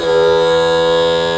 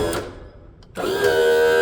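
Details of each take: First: Mercury 60hp 4-stroke outboard power trim after topping up fluid that had run low over 2.5 years and cycling to bleed air. Raising the motor gives a smooth, constant-pitch hum with no stutter, so the trim now works normally. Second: Mercury 60hp four-stroke outboard power trim/tilt, low on fluid after 2.5 years, raised after topping up; short stall then pump whines up and runs steady. Slow start from air still in hydraulic system.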